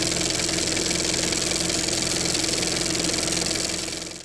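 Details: Briggs & Stratton 6.5 on a Toro self-propelled mower, after replacing the flywheel key sheared by hitting a rock: quick, crisp single-cylinder beat running fast and even before shutdown; fires cleanly, fixed.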